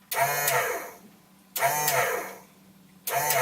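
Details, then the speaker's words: Boat sump pump after a new float switch was installed and the wiring redone (the old switch worked only intermittently): short whirring runs with a steady low hum, cycling about every 1.5 seconds. It is working perfectly. "working perfectly."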